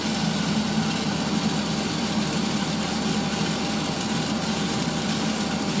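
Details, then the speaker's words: 1980s Tefal Spinmaster spin dryer (made in France by Calor, 2,200 rpm max) on an empty spin after towels: steady even motor hum, faint drone and water trickling through; normal running. "i'll do an empty spin so you can hear the um motor that's the sound of the water going through"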